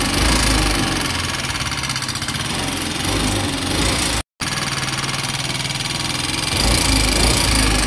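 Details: Yamaha Ray ZR 125 scooter idling with a harsh, rattly tapping about four per second over the engine note, plus exhaust smoke and engine oil being used up; abnormal internal engine noise.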